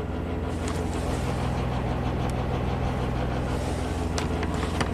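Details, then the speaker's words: 2009 Chevy Traverse V6 GDI, 190,000 miles, 40,000 miles after a timing job (P0018); stumbling, power loss, misfire codes on all cylinders; Bank 1 VVT command stuck high, 20° variance; drone with metallic rattle on revving; suspected timing chain/phaser rattle. "hood like a timing rattle like a phaser or something that's"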